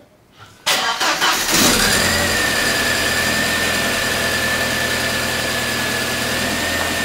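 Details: VW Passat B5 after standing: short crank with a few stumbling catches, then it fires and settles into a steady, good idle. Hard start; too much air in the fuel lines is suspected.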